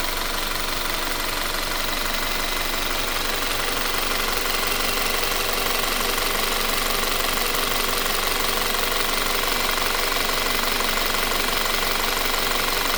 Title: 2017 Audi Q5 Timing Chain Noise?